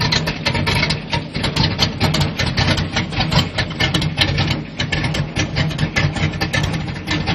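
Uneven, lumpy idle with irregular stumbles and misses breaking up the low rumble; this engine is idling rough.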